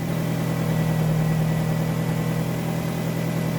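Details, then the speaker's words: 2006 Nissan X-Trail 2.5 L automatic after alternator replacement, 14.39 V at the battery: a smooth, even idle with a steady low hum and a faint constant tone, though the exhaust sounds poor. Normal idle, charging system working. "other than the crappy sounding exhaust you can see that our alternator is currently working it is 14.39 volts at the battery"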